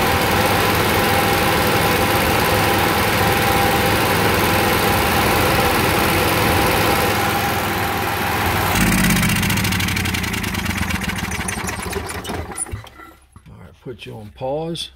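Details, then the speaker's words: Onan QG 5.5 generator running, governor lever knocked on purpose to create a fault: steady drone, then the note abruptly shifts, falters and winds down as it cannot regulate speed; governor control lost. "right so what i did i hit this lever made it couldn't regulate the speed"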